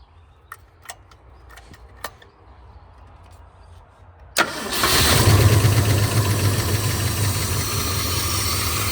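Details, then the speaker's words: 1971 Ford V8, first start in 27 years after distributor corrected one tooth, running on a temporary gas tank: a few light ticks, then cranks, catches and settles into even idle about four beats a second. "Got my little gas tank hooked up there, and she's running by herself."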